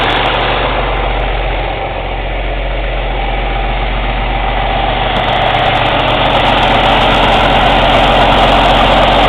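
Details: Cummins ISX CM2250 diesel at steady idle during DPF regeneration: quick even aerodynamic chuffing from the intake, about four a second, building slightly, no metallic or mechanical noise; owner suspects turbo chuff during regen, unconfirmed.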